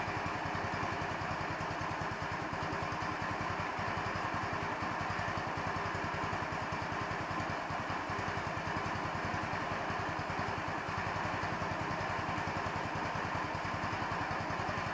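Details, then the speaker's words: 150cc Chinese scooter, idle screw adjusted many times, mixture screw covered by welch plug; small single idles with slightly loping, uneven beat that never settles; uneven idle, owner suspects idle mixture, not confirmed. "now i know i've got an idle screw adjustment which i've tried to get correct many times it does not have an air mixture screw adjustment"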